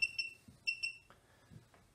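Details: Desktop RFID reader reading tags that stream to a cloud database gives short high electronic beeps in quick pairs, then quiet handling noise as the beeping stops when the tags are shielded.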